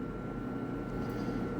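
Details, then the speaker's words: Clothes dryer that died mid-cycle with a loud bang: motor hums with thin whine but drum doesn't turn, no tumbling; drive belt found exploded, then replaced. Broken drive belt. "I got a feeling the motor's trying to spin like I can hear the motor turning"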